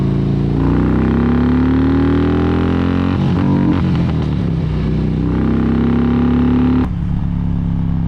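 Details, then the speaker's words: 2006 Harley-Davidson Electra Glide, 88 cubic inch V-twin, five-speed, riding under throttle: note climbs, then flares and stumbles as rider misses a gear despite kicking it, revving freely without drive before settling. "and that's what we get for missing a gear of course i kicked it into gear though i know i did"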